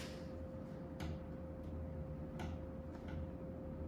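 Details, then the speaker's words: Murray Feiss FPV ceiling fan, unrestored, on high speed and wobbly: irregular sharp clicks over steady motor hum; clicking from a broken blade, partly fixed but worse before, happened all the time on medium. "There's that clicking noise I was talking about. But it would do it all the time when I was on medium, so."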